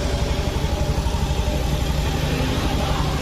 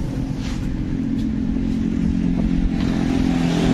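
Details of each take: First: 2019 Honda Beat Street scooter, which smoked and burned oil, noise traced to the cam chain tensioner: soft, even low putter at idle with no chain rattle or clatter on top; quiet, healthy idle. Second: 2019 Honda BeAT Street scooter, 84,328 km, smoking exhaust and oil always low (rings/cylinder blamed): steady idle with busy clattery "tek tek" mechanical chatter; noisy engine, cause suspected, not confirmed.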